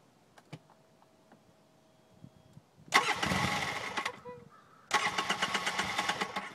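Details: Polaris RZR hard to start when hot: two bursts of cranking, the first dies after a second, the second keeps churning unevenly without firing; cause unknown.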